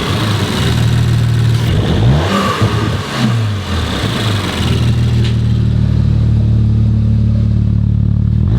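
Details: Rebuilt 2019 Audi RS5 warmed up, no muffler, no longer smoking: smooth idle, then two or three clean blips rising and falling evenly, settling to steady idle; normal revving when warm.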